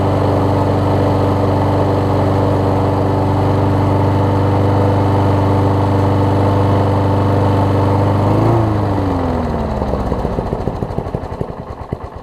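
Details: Troy-Bilt self-propelled mower after carb bowl gasket replacement and new self-propel belt: started first pull, steady, even single-cylinder drone at constant speed before shutting down and spinning out; no fuel leaks, runs smoothly.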